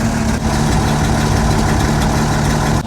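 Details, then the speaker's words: 60-year-old International Harvester 6x6 army tipper, Perkins 6354 diesel, sat about 10 years, idling to build air pressure while the throttle pedal ball is off its linkage: deep, steady, even low rumble, no knocks or misses; normal idle. "We just let it idle for a while here now to build up the air pressure"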